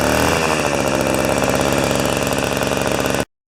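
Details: Old two-stroke snow thrower, long stored outdoors, restarted on choke with 40:1 premix: steady high-pitched buzz at even speed with a crisp rapid beat, no misses or knocks; running healthy.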